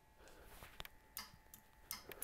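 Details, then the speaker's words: Line lock relay clicking on and off normally when the line lock button is pressed, during wiring tests of 2-step, nitrous and line lock; sharp dry clicks in small clusters over quiet room noise. "so yep i hear the line locker relay clicking on and off"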